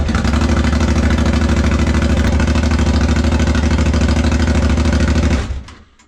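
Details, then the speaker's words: Home-built reverse trike on the stand during first start with wheels spinning: steady running then abrupt die-out; owner suspects the stand-position switch button is killing the motor, not confirmed. "I think maybe that's why it stops the motor, so"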